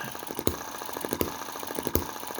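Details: Cheap Chinese M19/EM2 hit-and-miss engine, crankshaft believed slightly bent, flywheel tightened, carb inlet reduced with metal putty: a sharp bang about every three-quarters of a second with light even ticking between. Clean hit-and-miss governing; the spark plug no longer oils up.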